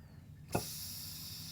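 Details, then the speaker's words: Automatic transmission rebuild, air-checking the 3rd/5th/reverse clutch: short pop then steady thin hiss from a tiny bleed hole; normal leak, piston not cracked, clutch sealing fine. "That's normal, and I'm going to show you where. So we know there that the pistons ain't cracked or anything like that. We don't have no crazy leak going on."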